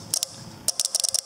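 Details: Homemade relay 1-bit ALU on a custom circuit board, 5 V applied to switch inputs to test the gate logic. Crisp clicks in quick clusters, clean snaps with no chatter. Relays switching normally.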